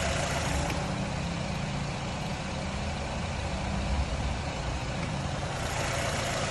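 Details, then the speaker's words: 2011 Nissan Rogue at idle after PicoScope diagnosis of a misfire following a cylinder head job: steady, even idle with no stumbles or skipped beats; running good, idling perfect, just needs the bad coil wire set changed. "but other than that i mean cars running good idling perfect we just got to change that wire set"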